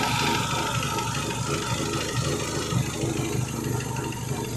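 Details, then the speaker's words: Renault Megane 2 after new spark plugs, idling: uneven idle with irregular dips and stumbles and a little shake, the beat never settles. Engine misfire at idle, source not yet found. "getting a misfire somewhere where that misfire could be coming from now."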